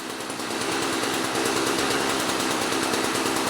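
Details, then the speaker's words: 2-stroke mower being winterized: fast, uneven two-stroke buzz, fairly steady, burning the last fuel in the carburettor before it starves and stops; running out of fuel. "It's just you running on the last bits of fuel now. It's in the carburetor."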